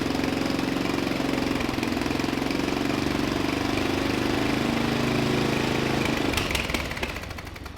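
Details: Murray LT1000 wide-body riding mower (2000), deck removed and custom-lowered, first jump-started run on starting fluid with the new exhaust: a single thumping about three beats a second at a fast idle, never settling, before winding off.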